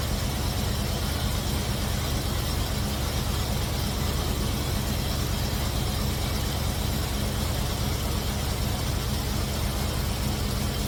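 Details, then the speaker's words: Cutlass V8 after fitting MSD 8225 HEI coil, MSD 83647 module, Moroso Ultra 40 wires and ACDelco R44LTS plugs to cure long-running misfire: even low idle rumble, no stumbles or dropouts, hissy background, with timing set close, carburetor circuit adjusted, vacuum mid-range. "all right so I think we got the timing pretty close uh we adjusted the uto circuit on the carburetor we got the vacuum right in the middle everything looks good"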